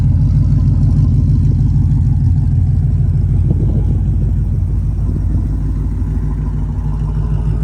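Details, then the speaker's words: Ford with Boss Track Key and Procal 2 calibration, warm engine with side pipes off (open exhaust): deep, loud, even lumpy V8 idle with no knocks; runs well warm, though cold starts are poor. "but just uh now since it's warm this is great guys this is great check it out let's listen to it now the side pipes are off so it's open"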